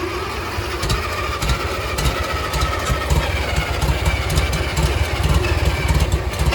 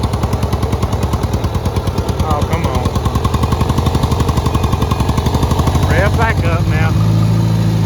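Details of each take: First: Farmall Cub 140 four-cylinder tractor, sat five years, after tune-up; carburetor leaks and it seems to run rich: settles into a steady, even hum at low revs with no misses or knocks, good oil pressure; running properly. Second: Farmall Cub 140 four-cylinder tractor, run after sitting five years, in second gear under load: steady low thumping sags and stumbles, then picks up as fuel catches up; bogging getting worse, owner suspects air being sucked into the fuel.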